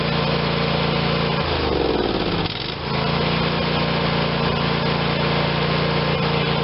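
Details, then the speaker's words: Craftsman YS4500 tractor, Briggs & Stratton 22hp Intek OHV twin, after sitting a couple of years; after carb cleaning and intake gasket reseal: even, steady drone dips briefly then settles smooth, now running how it should. "So now it's running how it should. We should have way more power."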